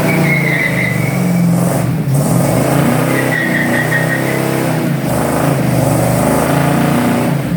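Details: 1954 Fargo truck warming up after a new driveshaft install, engine and transmission working well: deep steady engine note with even throttle blips, no knocks or rattles; the old motor runs and revs smoothly.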